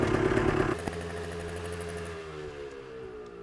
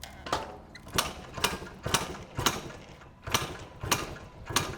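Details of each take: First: 1990 Yamaha RT180, after a carburetor slide adjustment and a new spark plug: crisp two-stroke buzz revs, then fades smoothly as the bike is ridden away with no misfire or stutter; running great. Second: 1990 Yamaha RT180, gas and choke on: about a dozen kickstart strokes, quick ratchet and whoosh each, never catches or fires.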